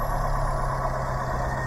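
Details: 2017 Suzuki APV manual minivan on ramps, idling right after an oil change; smooth even low hum, no knocks or rattles; oil light went off showing oil pressure, no leaks at drain bolt or filter.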